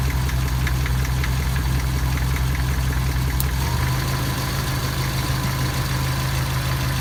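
At idle a light regular ticking knock, roughly two a second, rides over the engine hum; the cause can't be pinned down from sound alone.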